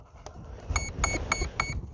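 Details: E-flite Cherokee V1 RC plane, E-flite BL10 motor, after removing a loose motor label that was causing noise: four short evenly spaced high beeps from the speed controller powering up, a normal startup tune.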